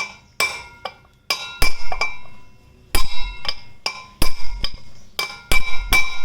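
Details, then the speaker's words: Yamaha FZ V3 front wheel bearing being driven in by hammering on its outer race: sharp ringing blows, and the ring changes to an alloy-wheel-like clang once the bearing is fully seated. "അപ്പോൾ ശബ്ദം മാറി. അതിനർത്ഥം bearing complete ആയിട്ട് അതിനകത്ത് ഇരുന്നു എന്നുള്ളതാണ്."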